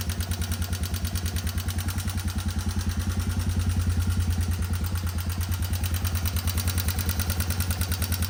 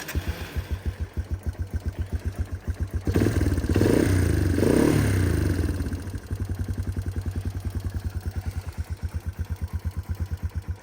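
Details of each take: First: 1989 Yamaha Moto4 200 ATV, revived after sitting 15–20 years, at idle: sharp, even ticking and light rattle from the top end over the thumping idle; valve adjustment planned as the likely fix. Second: 1989 Yamaha Moto4 200 ATV, sat 15-20 years, started still cold: single-cylinder thumping about three and a half beats a second, brief blip, then back to an even idle; normal cold idle.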